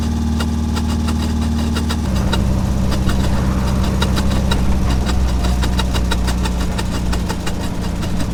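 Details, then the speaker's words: Triumph TR4 at steady idle: bird-like chirp repeating about three times a second with faint grind, tach needle jumping; failing tachometer cable. "Sounds like a bird chirping. Yeah, the needle kind of jumps around, makes a little grindy noise, so now you know."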